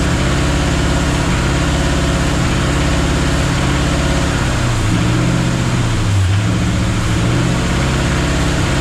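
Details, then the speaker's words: 1966 Chrysler Newport convertible, carbureted engine running after sitting for years with diesel mistakenly put in its fuel: heavy, uneven running, speed sagging and hunting, smoking while burning the diesel out; later ran well after timing. "So anyways, now we gotta burn that diesel out of it, get through to the fuel. So I'm sure it's gonna run like crud, which it was, and smoke, which it was."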